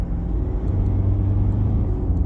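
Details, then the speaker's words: 2014 Toyota Prado 1KD-FTV diesel after manifold removal, decarbon and service: deep even rumble with no high-pitched whistle, which was heard before under acceleration and blamed on an exhaust leak; runs clean, whistle only faintly under load. "so to me that's an exhaust leak yeah it's really cool so you can't hear any noise now"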